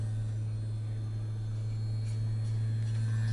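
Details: PP-282 24 V vibrator power supply (24 V in, 170 V out) fitted with a PeKo RVB-1 solid-state vibrator replacement: constant low buzz holding steady under load with no stutter or pitch change; running normally.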